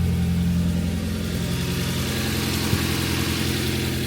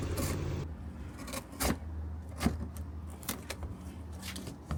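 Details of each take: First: Nissan 240SX after replacing a severed header gasket that caused tractor-like exhaust noise: deep, even engine rumble at moderate revs, smooth with no ticking or exhaust puffing, much quieter and less reverberant. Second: Nissan 240SX before repair; deep, uneven tractor-like engine drone with sharp irregular puffs and ticks as it revs, from a leaking exhaust header gasket awaiting replacement along with a leaking valve cover gasket.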